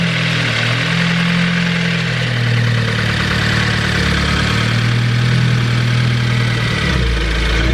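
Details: Ford Focus ST, first start of a new engine built with a Speed Performance pop-n-drop kit, after priming oil with plugs unplugged. Loud, low drone with an uneven, lumpy note wavering in pitch; rough, grouchy running, cause unknown.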